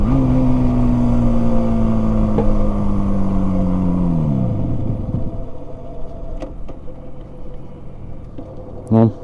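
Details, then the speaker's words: Yamaha RD350 two-stroke, abandoned about 10 years, being ridden in the neighborhood. A steady drone sags in pitch, then drops away and dies; the engine stalls. Owner suspects a fueling problem, the tank or carbs not supplying proper fuel. "just wanted to test it out and in the neighborhood make sure that she doesn't die it seems to me like it is dying a little bit of a"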